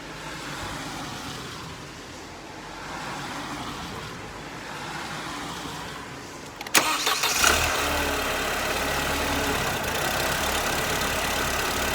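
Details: Mercedes SLK R170 2.3 litre compressor engine, long-stored, started right after a spark plug change: cranks briefly, catches cleanly and settles to a smooth, even idle with no misfire or stumble.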